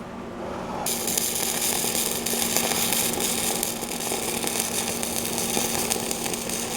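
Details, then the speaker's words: Stick welding a winch hitch with heavy heat input: the arc goes from a smooth bacon sizzle to a harsh, uneven crackle with irregular pops as the slag builds up and will not peel, a sign of a poor weld. "You hear that went from sizzling bacon to bubbling beans. It's going to be ugly in here. You don't even need to look at it because you heard it."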